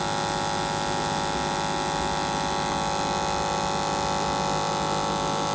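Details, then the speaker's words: BMW N54 port fuel injectors on the flow bench after cleaning, three at once plus a dummy: steady buzzing hiss pulsing about three per second, even and consistent. All three flowed the same. "The first 3 went in, nothing weird. We flow tested them, all 3 are the same."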